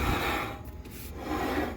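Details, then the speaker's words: 2004 Buick Rainier with brand-new brakes and brake lines, wheel turned by hand: slow dry scraping that rises and fades with each push, very resistant; possible brake drag, with the original wheel bearings also under suspicion. "I mean, it feels pretty smooth, but here, listen to this. Very resistant."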